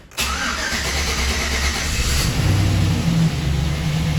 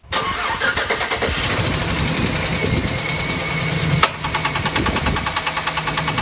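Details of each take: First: 2010 Chevrolet Silverado 1500 5.3L V8 first start after locked AFM lifter and damaged camshaft repair with AFM/DOD delete: quick crank, catches at once, firm even idle slightly high, no ticking or misses; normal. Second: 2010 Chevrolet Silverado 1500 5.3L V8 with AFM, before teardown: starts and idles rough with fast loud tapping and occasional sharp pop from one side; locked-up AFM roller lifter and severely damaged camshaft found, AFM delete installed.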